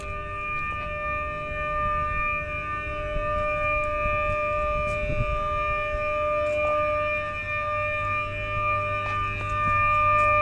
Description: 500kV HVDC Smoothing Reactor Humming Sound recorded which is different than AC side converter transformer present in the AC side of HVDC system.